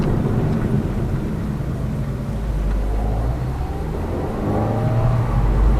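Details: Lada Vesta Cross with AMT 2.0 robotised gearbox, full load, driving rough road, rail crossings and bridge joints, head-mounted camera; after replacing the front shock struts, stabilizer and engine mount the suspension knock is gone, steady engine and tyre drone.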